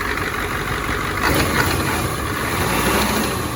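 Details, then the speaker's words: 1986 Ford F350 dually, 7.3 IDI diesel with ATS turbo kit, run in neutral. Steady even idle clatter with no misfire, light belt chirp from a loose alternator belt; possibly a little air in the fuel. Runs smooth. "Yeah, she's a freaking runner. Man, that thing runs smooth. That thing ain't even wobbling or nothing."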